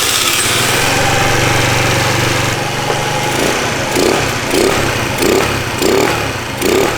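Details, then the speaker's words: Cheap Chinese 49/50cc scooter after the no-start diagnosis: catches and revs, then surges in uneven bursts about every half second; carburetor problem giving poor fuel delivery, fuel lines also need replacing. "so it was definitely i had a problem with the charge uh with the quad carburetor and it's not getting good fuel delivery"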